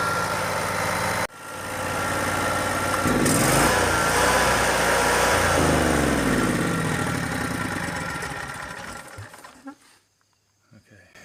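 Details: Yamaha EF12000DE / Robin RGV12000 generator started with the starter relay bypassed: steady, even engine drone for several seconds, then winds down smoothly and stops; normal running.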